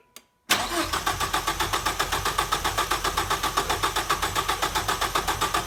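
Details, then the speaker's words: 1989 Ford Probe GT Turbo after new fuel pump installed to cure a no-start: engine catches after a brief crank and settles into an even, steady idle; running healthy. "[Applause] oh she's running that's weird"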